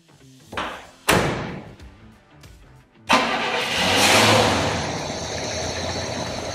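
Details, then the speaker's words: 1967 Cadillac Coupe DeVille big-block V8 with Quadrajet carb, after correcting misrouted spark plug wires to the proper cylinder numbering: cranks, fires, revs cleanly and settles to an even idle with no misfire; normal running. "yeah it helps when the spark PL wires are actually in the right spot yeah that's crazy"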